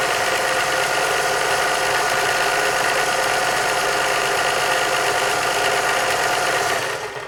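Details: German-made Singer 631G/611G sewing machine after a full service and foot controller repair, sewing a fancy stitch: even motor hum with steady needle ticking of about three a second and no knocks or binding.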